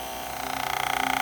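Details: Hair clipper used over a year: loud, harsh motor buzz that pulses rapidly and rattles, worse when blade adjuster moves blades closer; blade chattering.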